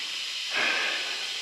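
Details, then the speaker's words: Intake manifold with a new plate and adhesive under a pressure test: a sharp air hiss that swells, then cuts off. It leaks between the aluminum plate and the temperature sensor gasket; the manifold seams themselves hold. "It is still leaking. It's not leaking from any seam on the actual manifold itself. It is leaking between the aluminum plate here and temperature sensor gasket out of."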